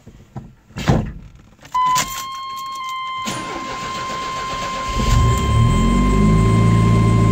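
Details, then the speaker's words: 1992 Chevrolet S10 2.5 fuel-injected Iron Duke four-cylinder, 164,689 miles, cold start after sitting two days: chime, brief crank, quick catch into steady even idle with no knocks; healthy start. "Otherwise, it's been sitting for about 2 days now. So I want to show you a fresh start."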